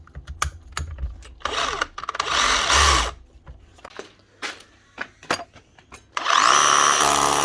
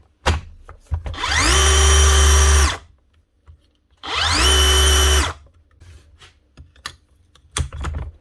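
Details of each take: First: DeWalt DCH333 54V/60V SDS hammer drill: drills and hammers fine, but the chuck slips when pulling the bit out of the hole; short bursts of rough grinding whirr between clunks under load from worn gearbox crown gear teeth. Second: DeWalt DCH333 54V SDS Plus hammer drill after repair with new bevel gear, rings and fresh grease, previously grinding and not rotating when drilling; quick spin-up into a clean steady whine, no grinding, running normally.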